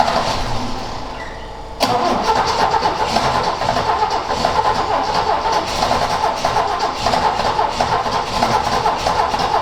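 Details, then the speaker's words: Ford XA Falcon long parked outside, choke not hooked up, float bowl refilled. A quiet lead-in, then loud even cranking for seconds without firing. Cause unconfirmed; owner suspects it loses spark as it starts. "yeah I've never found these things great to start when they've been sitting for God knows how long"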